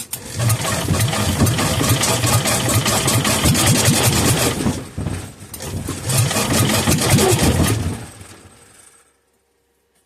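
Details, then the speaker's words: Kohler K241 single that sat unused for years, fuel bottle-fed into the cylinder, on the bench: uneven chuffs as the groaning starter drags it over, catching in short bursts then dying; fires but won't keep running. "again she's trying ooh that starter is groaning well clearly we know that she'll run"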